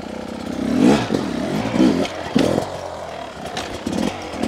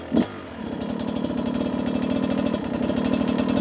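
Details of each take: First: 2023 Beta 250 RR two-stroke riding: crackles and pulls cleanly through repeated throttle blips without bogging or spitting; consistent smooth delivery and low-end control, sounds well jetted. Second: Beta 250 two-stroke on stock jetting, low-speed riding: fast crackle at low revs that stumbles, almost skipping, instead of firing evenly; not as smooth as a comparison 300; rider blames the stock jetting.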